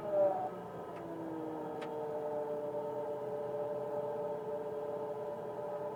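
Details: 1999 Mitsubishi Pajero iO: steady mid-pitched whine over smooth idle, starts at engine start, worse when warmer and with driving; mechanics variously blamed alternator bearings, A/C compressor, or water pump; source undiagnosed.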